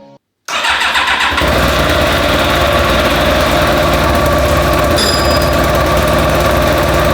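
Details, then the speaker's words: Yamaha YZF1000R Thunderace, abandoned 20+ years, engine swapped into new frame, first start after rebuild: starter churns, engine catches and runs rough and uneven at fast idle; owner believes missing clutch slave cylinder caused it. "by which was a huge fail oh no oh dear I actually believe this happened due to the missing clutch slave cylinder"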